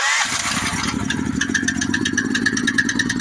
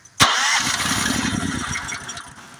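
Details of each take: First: Honda GX-series engine after the faulty low-oil sensor wire was disconnected, with oil confirmed full: catches after a short crank and settles into a steady, even single-cylinder chug. Now starting and running normally. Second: Honda GX390 engine turned with the key: starter cranks steadily for a couple of seconds but never fires. Spark tester showed no spark; usual culprit is the low-oil sensor wire on the block side. Crank no start, no spark.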